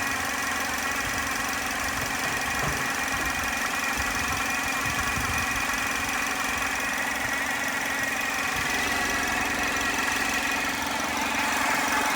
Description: 2010 HHR 2.2 Ecotec making a weird noise when warm, can’t figure it out...Take a listen.